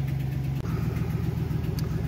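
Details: 2009 Chevrolet Silverado GMT900 idling evenly after its failed fuel system control module was bypassed, fuel pump wired direct to 12 V; smooth steady low rumble, no knocks, misses or surging, healthy idle.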